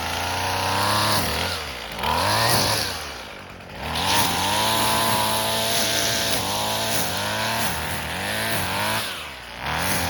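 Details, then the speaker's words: Husqvarna 128LD string trimmer, two-stroke on 2-cycle mix, after carburetor replacement plus new plug, fuel and air filters (previously barely ran, never off choke), trimming grass: crisp buzz dips and recovers, snapping back to clean high rev; normal under load. "Okay, let's go ahead and now we can go try to trim some grass with it, I guess."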